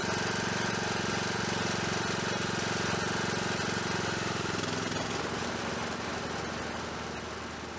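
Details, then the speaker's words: John Deere D110 lawn tractor after new pulley install, blades engaged: steady, even engine drone with no squeal, grinding or knock from the deck; normal running. "And you know what, guys? That sounds damn near perfect. No noise whatsoever."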